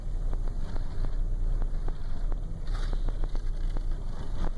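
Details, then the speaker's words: 2001 Chrysler Town and Country at idle: low, uneven rumble with irregular ticks; shakes, idles rough and dies at stoplights despite fresh gas; code P0403 EGR solenoid circuit, owner suspects the purge/canister valve, cause unconfirmed. "it's got a shimmer and dies at stoplights rough idle stuff like that fresh gas and it's still doing it by the way"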